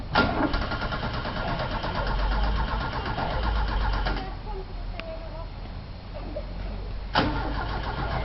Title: Car won't start